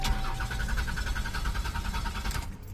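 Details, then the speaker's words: 1988 Buick Reatta with new fuel tank, fuel pump, fuel filter, alternator and spark plugs, battery jumped, fuel pump heard priming: the starter spins at a steady, quick beat for a few seconds but the engine never fires, crank no start. "it's cranking up but it uh it just won't uh won't turn over"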